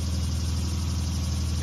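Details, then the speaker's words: Honda EU6500is generator running on propane, warmed up, eco throttle on, heard from about 20 feet: low steady quiet hum with even unchanging drone; running smoothly in eco mode. "i think we can put it on eco now so now it's running on eco mode come back over to the same spot"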